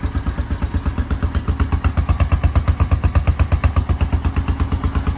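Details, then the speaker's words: 2000 Honda Foreman 450 ATV, single-cylinder, fired right up on starter button with jumper box; carb not yet cleaned. Crisp regular putt-putt about eight beats a second, no skips or rattles: healthy normal idle. "So, now we can get rid of these crappy wires and this switch. Um, and it actually sounds really good. I haven't cleaned the carb or nothing."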